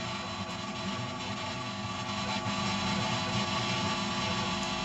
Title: Solved! Chirping noises in your audio connected the screen. firewire noise